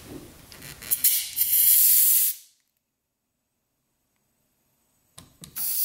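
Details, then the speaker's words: 2001 Yamaha WR250F, rebuilt, won't start; leak-down test at about 20 psi at top dead centre, steady hiss of air rushing out of the airbox, nothing from exhaust; one intake valve, previously repaired, not sealing. "you can hear it coming out of the airbox so intake valves are leaking"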